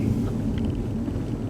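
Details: 2009 Audi A4 petrol automatic, 168,000 km, driving warm day: low steady droning hum from front, louder at higher speed and when steering left, slight vibration felt in steering wheel; suspected worn front wheel bearing.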